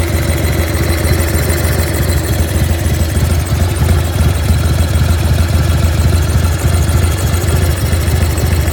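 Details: 1995 Harley-Davidson Bad Boy FXSTSB with Evo V-twin engine idling: deep, lumpy thump with a faint clattery edge, an unidentified strange engine noise.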